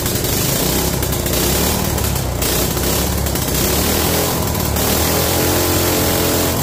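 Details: Mini bike small single-cylinder engine after draining water from the carburetor float bowl: keeps running on its own with a steady, even putter; normal running, though throttle not yet working.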